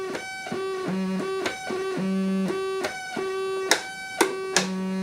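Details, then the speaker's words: Realistic Concertmate MG-1 (Radio Shack Moog) after op-amp replacement, still needing alignment. Clean sustained notes step between low and high registers, each pitch steady and a true octave apart; this oscillator sounds octavey and tracks correctly. "See, that one sounds pretty octavey."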